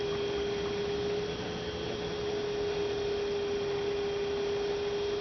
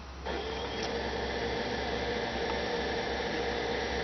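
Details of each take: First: 2006 Toyota Prius coolant bleeding, late stage: electric coolant pump steady mid-pitched hum, very steady current, no gurgling while running, funnel level stable; air essentially bled out, normal. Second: 2006 Toyota Prius coolant bleeding after coolant change: electric coolant pump switched on, steady hum with busy bubbling, gurgling as funnel level drops; air still trapped in the cooling loop.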